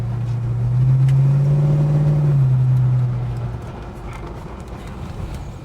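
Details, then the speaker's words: Holden HK V8 after adjusting the spark plug gaps: a deep, steady rumble that swells and eases under acceleration, with no pinging; the owner suspects a small idle screw/metering block problem. "oh no ping in there that was good"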